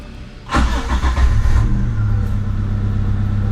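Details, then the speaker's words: Daihatsu Taruna EFI that smoked on deceleration, after replacing spark plugs and plug leads (cylinder one plug was black): quick crank, catches within a second, settles to a steady even low idle with no misses; normal start. "hai oke halus indikator oli juga langsung mati artinya"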